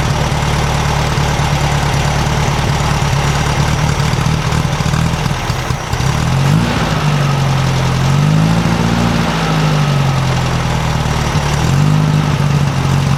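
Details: 1956 VW Beetle air-cooled flat-four with Solex carburetor at steady idle after valves readjusted to 0.006in: light busy sewing-machine ticking, much quieter, no loose rattle from either side; running smoothly.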